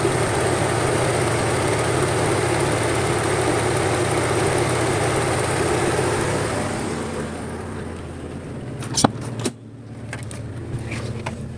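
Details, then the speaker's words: 1996 Honda Civic EK automatic, engine still warm at idle: auxiliary radiator fan runs with a steady airy whoosh for about seven seconds then winds down cleanly, proving the aux fan is not faulty. "Napatunayan natin hindi sira ang auxiliary pan natin ha."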